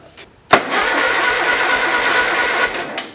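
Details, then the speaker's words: Small Ford lawn tractor with a no-crank fault, battery fully charged, suspected ignition or safety switch; after a repair attempt the starter Bendix now engages: sharp clunk, then about two seconds of steady, even cranking; normal starter cranking. "seems to have changed a lot for us and our uh Bendix is engaging now so that's something"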